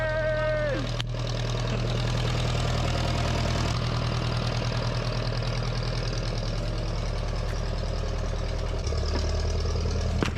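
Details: 1956 Case 420B running after the bent crown washer under the distributor rotor was flattened, restoring spark; an even, low idle thrum with a steady firing beat and no misses or clatter, with a load change near the end.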